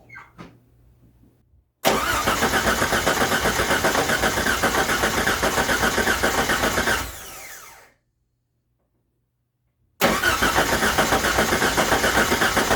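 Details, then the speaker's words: 1989 Jeep Wrangler YJ, first start after sitting 12 years in a field: starter cranks evenly at about 4 pulses/s but it never catches; cranks, no start. "nothing the engine needs four things to run air spark Fuel and compression"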